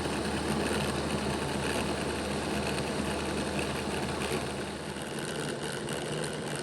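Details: Bachmann Dash 9 model locomotive on stationary rollers, before the repair: the rear motor block, which had been stopping, gives a steady coarse growl with an uneven buzz, louder than the front block. Gear growl; the later fix was reseating the motors' contact strips.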